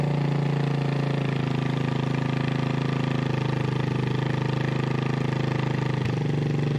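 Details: 1988 Honda TRX200SX single-cylinder engine on the bench just after full rebuild (cylinder bored .020 over, new crank bearings and seals, replacement case, JB-Welded stator cover): quick even thumping idle, steady low drone, no knocks or rattles; runs like new.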